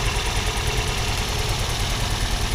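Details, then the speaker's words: Car engine after an engine-bay wash: uneven, lumpy idle with irregular thumps and shaking. Misfire caused by water in the injector connectors; the four spark plugs were checked for spark. "slightly concerning it's running like absolute right now"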